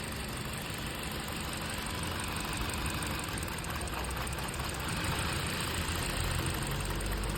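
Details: 2015 Hyundai Elantra petrol engine idling with an uneven, loping beat of about four stumbles a second: misfire, with cylinder No. 3 not working.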